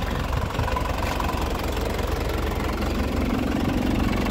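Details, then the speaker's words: 2004 Isuzu Panther LS Black Panther diesel: steady idle with light injector clatter and an even beat, no unusual knock. Faint exhaust smoke is put down to age; the engine is healthy but needs maintenance such as the injection pump or nozzles. "Ya, faktor usia tidak bohong. Jadi, mesin ini masih sehat. Cuman ini perlu perawatan."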